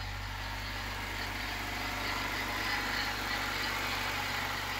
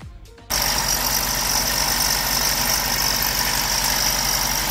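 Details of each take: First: Honda Civic EK hatchback petrol engine at idle just after head rebuild with replaced intake valves and valve adjustment: smooth, even low hum with a light hiss; sounds normal, strong and quiet. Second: Honda Civic EK hatch on first start after injector harness extended; engine settles into steady idle with constant high thin whine, suspected coming from the A/C, check engine light on.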